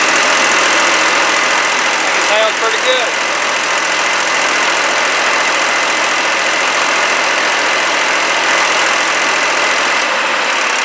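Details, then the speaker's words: 2007 Jinma Smartrac 284 tractor, Chinese Y385 diesel, after injection pump replacement with adjustment maxed out (owner suspects timing gears one tooth off): even clatter at steady idle, no misfire, stumble or hunting; running normally. "I maxed out the adjustment and she's running pretty good let me show you how it sounds it probably won't sound as good on there but it sounds good to me"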